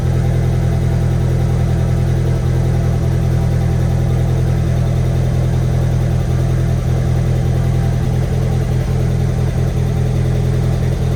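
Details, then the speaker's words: VW 1.8T engine first start after rebuild, turbo oil line unplugged: loud idle with irregular stumbling beat about three pulses a second, like a slight misfire, smoke burning off exhaust. "at least sounds a little weird almost like it's like misfiring a little bit but I'm going to check the oil again and reset and see where we're at"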